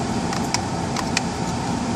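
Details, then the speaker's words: 2002-2007 Buick Rendezvous engine running after heater control switch replacement, blower set to vents; a strong, steady rush of air as the fan steps up to max speed, no rattles or squeals. Normal blower operation. "You can hear it just kick up a little bit more, a little bit more, and max. Everything works now. Everything works perfectly fine."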